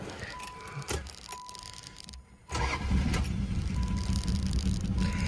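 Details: 1985 Chrysler Fifth Avenue, 95,000 miles, first start in 7 years after a Lean Burn delete with a cheap aftermarket distributor, timing not yet checked: quiet, then a short crank, catches at once and settles into a loud, somewhat uneven idle.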